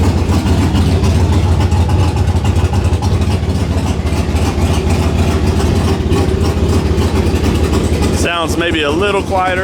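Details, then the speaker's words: Turbo V8 truck before dyno tuning, first start in a week after a MAP sensor fix: deep idle with a slightly lumpy, uneven pulse of three or four beats per second, holding idle. The new cam is not tuned yet. Rough idle. "because we still have the new cam in there that's not tuned yet so so it's still going to run a little rough but at least now it'll idle"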